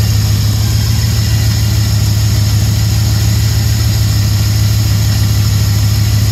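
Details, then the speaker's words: 1999 Dodge Ram 1500 5.9 Magnum V8 that knocked when cold, restarted after water pump and thermostat replacement and oil treatment: smooth, steady idle rumble with no knock or tick. The idle is normal now; owner suspects the lifters caused the earlier knock. "well of course now it's not doing it so I don't know maybe it was the lifters I I don't know what to think of it"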